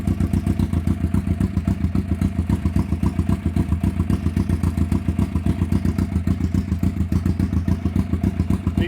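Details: 1991 Kawasaki EN500 twin idling after replacing out-of-range pickup coils that had thrown ignition timing off and caused stumbling and backfiring. Even, steady firing pulses with no stumbles; now running cleanly.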